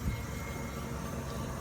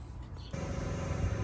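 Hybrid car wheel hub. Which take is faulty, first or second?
second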